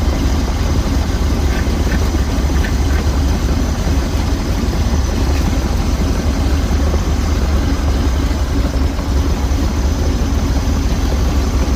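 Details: 1969 Jeep Jeepster Commando with a new battery, cold engine at idle: a steady low rumble at about three beats per second with no knocks or misses. It is slow to settle but healthy. A loose hanger was noticed; normal idle.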